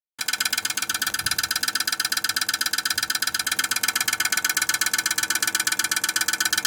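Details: Viessmann Vitocal 151-A heat pump outdoor unit running with a fast, steady knocking rattle over fan noise; loud noise attributed to ice accumulation despite heated tape.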